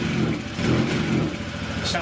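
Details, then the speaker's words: 2018 Honda Vision 110 scooter on bench after new plug cap and lead and replacing/resetting a faulty sensor behind engine management light: idles and blips up freely without refusing to rev, light bench rattle; runs healthy. "A bit of the bench rattling, but at least it's revving up now. It's not refusing to rev up."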